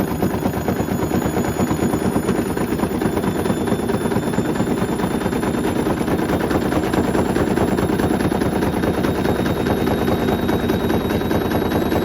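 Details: Hoover Link HL1682D3 washing machine, battered cabinet and twisted door seal, on spin: fast hammering clatter over two bangs a second, rattling continuously as the cabinet slams about violently; extremely loud.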